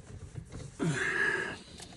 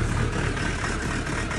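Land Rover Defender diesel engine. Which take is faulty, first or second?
second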